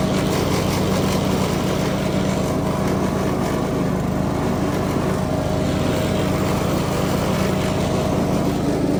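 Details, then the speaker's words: Craftsman DLS 3500 riding mower, test run after fixing the deck pulley and belt. A steady engine drone with a smooth deck whir and no rattle or squeal; it sounds much better. The mandrels are not loud. "I don't know if you can tell but that sounds a whole lot better sounds like a"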